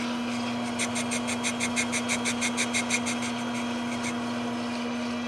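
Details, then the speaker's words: Wholesale Tools TD-4 lathe spindle pulley chucked for boring its worn, galled bore; pulsing scrape about three times a second as the tool bites once per turn over steady motor hum; interrupted cut from OD runout and bore wear. "That's not running true. Combination of the OD not running true because of us chucking it, but also wear inside the bore there. But it's only cutting about half of it right there."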